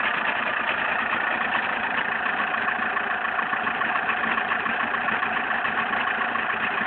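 Engine ticks over at a steady idle with a rough, uneven chatter in the mid range; something sounds off, but the cause isn't clear.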